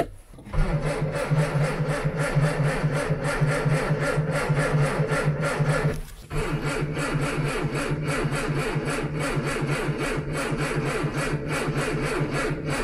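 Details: Old Ford Anglia cranked for fun: steady starter-motor cranking with even compression chug, a short pause, then more cranking that never catches; cranks but won't start.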